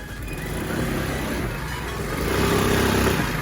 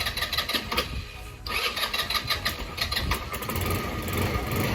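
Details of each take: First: Lexmoto FMS 125 scooter after valve clearance adjustment and new spark plug, revved quickly: buzzy, uneven shudder/vibration on the note as revs climb; owner unsure, possibly baffled air filter and tiny exhaust. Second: Lexmoto FMS 125 single-cylinder after valve clearances set, new spark plug and clean-up, repeat start test: starter whirs briefly, catches with quick pops with a little throttle, settles to steady idle; starts fine.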